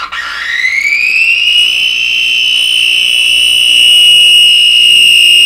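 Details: DeForest 10DA517 AM tube radio after replacing all capacitors, at power-up: loud, piercing squeal climbing in pitch then holding steady; unwanted oscillation, which stops when the grid of a tube far from the audio section is blocked.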